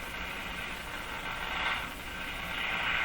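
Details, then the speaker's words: Mohawk Model 1240 five-tube radio run with AVC capacitor removed, around 116 volts, tuning: hissy, rough garbly buzzing with no station received; open-grid sound from the floating high-impedance circuit lacking its AVC capacitor. "interesting sound there that sounds like an open circuited grid"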